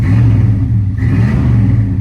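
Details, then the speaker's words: 1995 Chevy Silverado 1500 extended cab flareside at auction; a little rev at standstill brings a deep, smooth V8 burble that swells and settles with no knocks, ticks or misses; sounds good, normal free rev. "Whoa, she sounds good. She sounds good."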